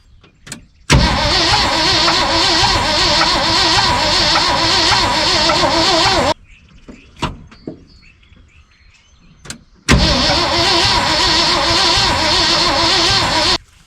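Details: 1974 Ford F-750 dump truck sitting 4–5 years, with rebuilt carburetor and fuel reaching the carb: two long spells of steady, uneven starter cranking with no catch; cranks but won't fire, ignition coil next to be checked.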